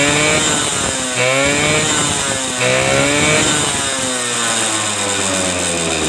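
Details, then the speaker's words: Suzuki RC two-stroke motorcycle previously hard to start with weak spark from imitation coil, started after ignition rework, ignition switch not yet connected; crisp ring-ding buzz, revs blipped and falling back to steady idle; normal running. "oke Ya teman-teman ini sudah nyala kita tinggal rakit kontaknya ya karena kontak ini belum tersambung ya"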